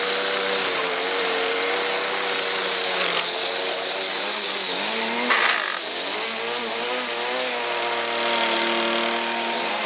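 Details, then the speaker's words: Stihl FS 38 two-stroke strimmer, choke halfway after kick, fuel running low, fuel hose bubbling needing replacement; high buzzy note fairly steady with small rev rises and dips; normal running, needs a clean-up. "so as you can see there's nothing wrong with that just wants a bit of a clean up"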